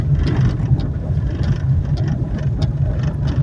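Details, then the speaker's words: Fiat Argo test-driven slowly over cobblestones, suspension noise felt through the steering: low cobblestone rumble with faint loose knocks from the front end; worn tie rod ends and inner axial rods suspected. "a gente sente como se fosse aqui na direção. E quando é, na maioria das vezes, é sempre é terminal, terminal de direção ou articulador, que é as barras axial"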